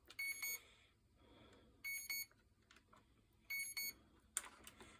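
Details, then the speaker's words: Early SwellPro fishing drone being rebuilt with a new flight controller and ESCs, bench tested indoors; repeated bursts of rapid high-pitched ESC beeps about every 1.5 s; owner suspects no signal or a bad pin connection; repeated beeping, cause unknown. "So it might be beeping because it's got no signal, but tough luck, man, tough luck."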